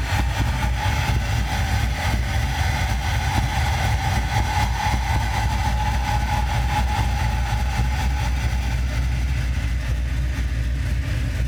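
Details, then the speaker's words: Chevy C10 petrol truck at idle: low, deep idle with a faint whistle; a vacuum leak makes idle start fine then trip out after a few seconds; O2 sensors misreading. "So, after checking the truck out, there seemed to be some kind of vacuum leak that was making the idle act up on this truck."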